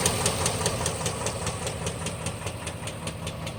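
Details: 2006 GMC Envoy XL Denali, 5.3 L Vortec V8 LH6 with Displacement on Demand, 68,400 miles, idling after repeated oil pressure loss: sharp steady knock about two and a half times a second; rod knock.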